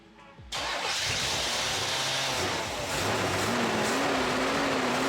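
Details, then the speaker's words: 1970s Corvette C3 on fresh gas, started with ether, first run in 20 years with almost 80 psi oil pressure: the hunting, wandering idle never smooths out; rough idle, owner suspects a vacuum leak. "all right that's the first time this thing has run in 20 years so it runs pretty good it's making almost 80 pounds of oil pressure so definitely seems really healthy I think we do have a vacuum leak somewhere"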